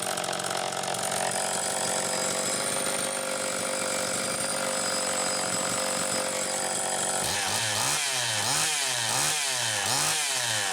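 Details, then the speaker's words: Homelite Super EZ chainsaw after repair (baked coil restored spark), started with drill via decompression valve: two-stroke buzz revved up and down at wide open throttle, picks up cleanly and holds steady, oiler working; normal running. "here it's wide open at whatever rpm it happens to be running at so sounds like it's running pretty damn good"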